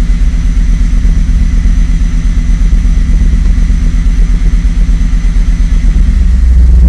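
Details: At idle: loud, lumpy idle with an uneven pulse around three beats a second that never settles into a smooth rhythm; rough idle.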